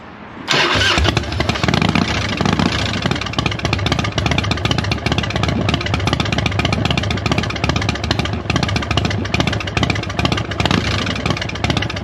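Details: 22-year-old Harley after fitting a new battery, as the old one wasn't delivering enough cranking amps and caused spark problems; cranks briefly, catches at once, settles into a steady, even lumpy idle with no misses: normal start and idle.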